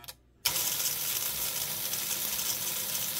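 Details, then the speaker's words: Model train locomotive with cleaned front trucks and reset brushes, running in reverse: even high-pitched motor whir with steady gear chatter after a click, no binding or stutter; normal running, though the brushes run hot. "that seems to be running fine that way that's reverse"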